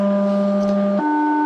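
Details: Cobra 138 XLR CB transmitting a low test tone stepping from 100 to 200 to 300 Hz, heard on a monitor radio: the tone sounds harsh and buzzy, not pure, and the scope waveform looks horrible, which is typical of these radios; the transmitter distorts low audio.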